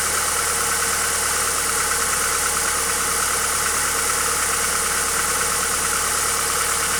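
Steady idle with a repeating knock, roughly three per second, riding over a bright mechanical clatter; source of the knock unknown.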